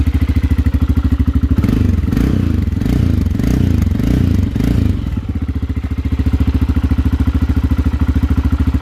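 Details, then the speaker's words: Aprilia motorcycle engine just installed and started, carbureted: even low thumping idle about three and a half beats per second, a brief rev, settles back smoothly; smoke is exhaust sealer burning off; normal running. "And that, ladies and gentlemen, is the sound of success."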